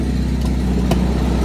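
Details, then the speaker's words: Lancia Zagato, manual, about 100,000 miles, at startup idle: deep steady rumble with sharp ticks about twice a second from an exhaust leak at the manifold-to-downpipe joint, where a couple of bolts are missing; a replacement gasket is on hand. "that's exhausted coming from right up uh off of the manifold not the manifold to the head that would be the manifold to the down pipe there is a couple of bolts missing"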